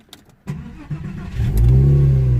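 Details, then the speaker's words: 2001 Porsche 911 Carrera 2 with intermittent no-crank: after new battery, quick crank catches at once into steady even idle with strong low rumble; starts perfectly every time. "let me just show you guys that the car starts absolutely fine it's running at the moment don't know if you can hear it but it is running"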